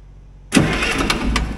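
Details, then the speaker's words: Allis Chalmers 3500A military diesel generator that sat for many years, starter energised by touching the hot lead to the terminal: starter bites with a thump and rolls the six-cylinder over in slow, steady compression beats; cranking is normal. "It works. Spins the engine over."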